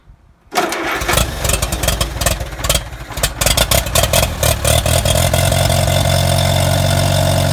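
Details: Allis-Chalmers Model B tractor, first run in a couple of years, after an oil change, points cleaned, spark plugs, kill wire fixed and fuel bowl cleaned: it cranks briefly, catches raggedly, then settles into a steady, even low idle. It starts and runs cleanly.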